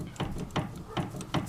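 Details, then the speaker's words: Dodge Dakota steering column with play, turned by hand: sharp metallic clicks about every 0.4 s, rust dust from the bearings inside; worn lower steering universal joint clicking. "clicking away it's the lower universal joint and it is covered"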